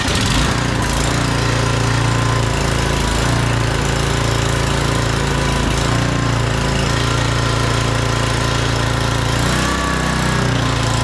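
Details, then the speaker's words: Scotts rear tine tiller, 6hp Tecumseh Enduro, sat over a year, running steadily with an even, throaty putter and no stumbling or surging. Normal running; the fault was simply no gas. "Yay! It runs. He just didn't have gas in it."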